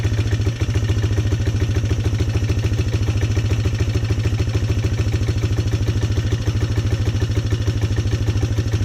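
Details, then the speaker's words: Polaris Sportsman 300 single-cylinder ATV during tune-up work: steady, quick, even idle thump with no misses or popping; running a lot better. "Let's see if it starts right up. Running a lot better too."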